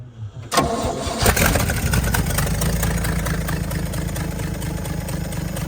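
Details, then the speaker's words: 1964 Chevrolet C60 grain truck, inline 292 six, four-speed with high-low rear end: brief crank, then it catches cleanly and settles into a steady, even low rumble at idle with decent oil pressure; normal start and idle. "We got decent oil pressure. Especially for just idling a little bit. And we are tickled pink at this time."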